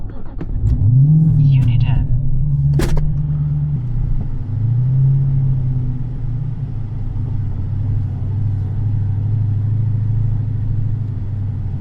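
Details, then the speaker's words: Dodge Challenger 426 fully forged Hemi with 3.0 L Whipple supercharger, 1000tq clutch, lightweight flywheel, in 1st gear at idle after a tune change: deep lumpy idle sags and recovers slowly, now pulling but on the edge of stalling; more idle power needed. "It's actually pulling now. So, what that tells me is we're going in the right direction. I want more, though. Like right now, we're like right on the edge of like stalling out."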